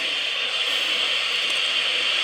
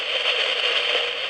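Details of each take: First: 2N217 germanium PNP transistor in a test jig with test amplifier gain at maximum: smooth, even background hiss with no pops or crackles, quiet compared with other noisy germanium transistors. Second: Surplus PNP germanium transistor in a small perfboard noise-test jig feeding a homebrew utility amplifier: dense, hissy crackle like a rainstorm, excess transistor noise while grading devices for quiet ones.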